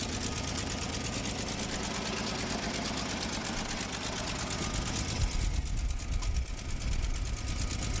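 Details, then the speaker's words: Toyota Land Cruiser FJ60 started after sitting for years, idling with a fast rattling knock that comes every 15–20 seconds then quits; owner says it's not the motor and thinks the fan is kicking on and off. "i don't know if you guys can hear that knocking it's like every 15-20 seconds it goes knocked and then it quits it's running though and it's not i mean it's not the motor knocking"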